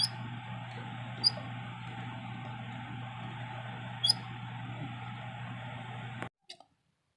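A steady mains buzz with a faint hiss on top that cuts off sharply at the end; the wall switch itself is buzzing.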